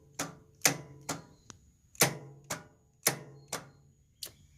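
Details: Exmark Lazer Z 46-inch zero-turn mower that died after running about five minutes, battery fully charged: lone sharp clicks roughly once a second, no cranking; starter clicking, won't turn over.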